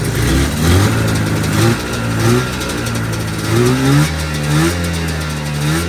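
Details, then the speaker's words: 1983 John Deere Liquifire snowmobile two-stroke running 40:1 premix plus oil injection, idle set too low: revs climb then sag and stumble, bogging because it runs without the airbox that its carburetors rely on. "You can hear it's really dogging. It's cuz I'm running it without the airbox. These power jacket carburetors really rely on that airbox."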